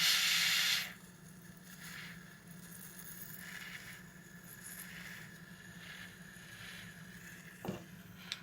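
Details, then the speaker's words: SCR MP5 CO2 magazine, just pierced: a loud sharp gas hiss, then a faint steady seep; the magazine is still leaking CO2 after adjustment, and the cause is not confirmed. "so as soon as it pierced it you'll start hearing the hiss and the hiss the longer that hisses for the more gas you waste"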